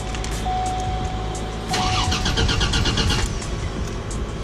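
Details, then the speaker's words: Buick Grand National started with the exhaust crossover pipe split open, on a 49-degree day, during a driver-side manifold flange leak repair: a raw, blatty roar with sharp popping pulses; open exhaust crossover leak. "yep that's what it sounds like with the crossover open and the fluid went back down to normal so now you know not to do that"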